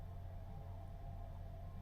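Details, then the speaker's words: Auto Trail Expedition 67 Flex campervan heater turned up, running on gas boost: a steady low roar with a faint hum, burning evenly, normal heater operation. "but you will hear everything sort of clicking and Ticking over and starting up"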